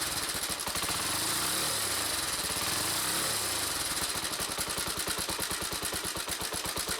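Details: Honda CBX125 single-cylinder motorcycle, stationary, revved: exhaust beat quickens with a harsh rattly abnormal noise over it that appeared while riding nearby; owner suspected low fuel and topped up, cause later found and fixed.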